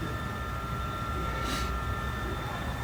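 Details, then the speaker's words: 2012–2013 Mercedes-Benz ML350 at about 139k miles, after timing chain and engine job, coolant filled and first start: smooth, even idle with steady low hum and faint whine, no ticking or chain rattle; normal idle, repair complete. "all right another job is in the book check it out you hear that sounds beautiful this job is complete"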